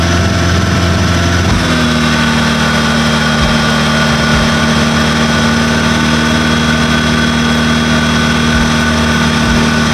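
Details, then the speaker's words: Proton Saga with 4G93 engine, gearbox pops back to neutral (suspected synchro fault): a loud, rough, steady drone like rod knock that deepens once put in gear. The worn gearbox is noisy under drive load. "let's start up the car and put it in in here and you hear the very very loud noise it actually sounds like rod knock"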